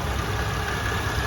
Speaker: The engine sounds nice and quiet. So just make sure you get close to it and listen to it.